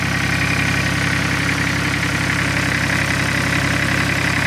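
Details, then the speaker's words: Massey Ferguson 1010 tractor with 103 hours, after a fabricated radiator was fitted: steady, even diesel chug at idle with no knocks or misses, running smoothly. "you can hear it just humming away over here that thing has a hundred three hours"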